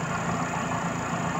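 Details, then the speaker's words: Camel spin dryer after repair of humming-but-not-spinning fault, brake setup replaced with brakeless arrangement: steady low hum with even whir, no drag or grinding; motor spins freely and sounds normal. "Mas tatagal 'to."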